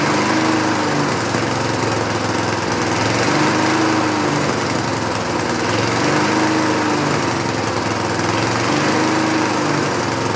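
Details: 1960s Roof push mower, no air cleaner, after a carburetor adjustment: engine hunts up and down about every three seconds, never settling; surging, owner suspects too rich or missing center carb bolt, unconfirmed.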